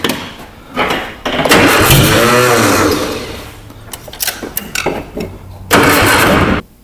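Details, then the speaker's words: Abandoned 1960 Nash Metropolitan being revived, exhaust partly torn off: bursts of cranking with ragged catches and sputters that never settle into idle; ignition timing admittedly off, hard starting. "I think she wants to run mama I know it ain't in time but I'm too lazy to loosen this a Sher back"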